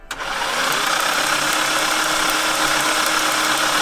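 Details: Nissan GT-R with good compression on all cylinders, cylinder three found not sparking: uneven, stumbling beat with loose ticking on top, typical of one cylinder dropping out for lack of spark.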